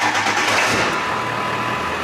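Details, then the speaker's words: 2001 Ford F250 7.3 Powerstroke diesel after the fuel tank was dropped, in-tank sender screens replaced and inline screens removed: it catches right away and settles into a steady, even clatter with no stumble. It starts and runs normally. "it still runs I was worried about those not being there and not sealing up or something but uh they apparently seem to still work"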